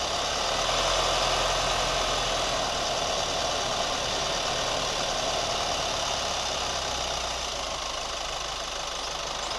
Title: New Chevy Colorado ticking sound / rubber squeak sound 2